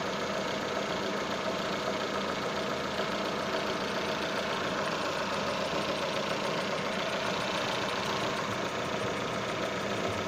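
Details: Datsun on-DO at idle: steady engine with a thin constant whistle over it, alternator belt squealing.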